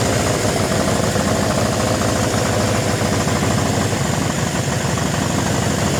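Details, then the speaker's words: Suzuki GS750, about 23,000 on the clock, first start after sitting, running on its fuel: even, steady idle with a regular low beat and no knocks or stumbles; runs and sounds not half bad, though needs idle tuning and could probably use valve adjustment and needle-and-seat work. "So, it runs. Don't sound half bad."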